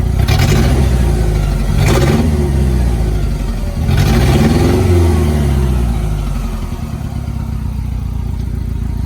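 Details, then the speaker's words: Mitsubishi Mighty Max pickup revving with an uneven, stumbling beat and clattery exhaust pulses; Autolite plug wires are not arcing, and the owner suspects a burned valve, unconfirmed. "I think she's burning a valve."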